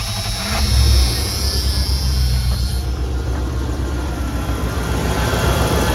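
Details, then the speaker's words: 27-year-old Dodge Ram 2500 after repairing a bad exhaust manifold leak at cylinder 6 (drilling, welding, stud extraction). Deep, even idle with no ticking or puffing at the manifold: normal idle, leak fixed. "Nothing. No exhaust leaks whatsoever. Very excited by this."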